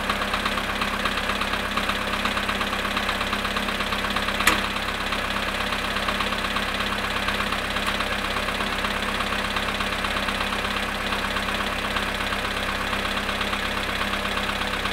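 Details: VW Polo sedan engine at cold start, -2 °C, after sitting 22 hours: steady cold idle with a fast regular ticking knock, about three per second, over the engine hum; cause not pinned down.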